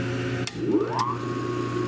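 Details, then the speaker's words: 1940s Peerless 1/2 HP electric motor that previously only buzzed: click, hum rising quickly to steady tone, then sharp click as the centrifugal start switch disengages; normal healthy startup. "Love that sound. It just goes right up. You can hear that start. You can hear the centrifugal switch disengage or do its thing."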